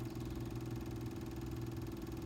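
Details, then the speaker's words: Electric fuel pump from an Onan Marquis Gold 5500 generator (model 5HGJAAB) that stalled after running, bench-tested on a small battery: steady low hum with a fast, even pulsing buzz or ticking; pump still spins but is clearly failing. "I don't know if you can hear it it is still spinning or I hear a ticking sound from it but clearly not working"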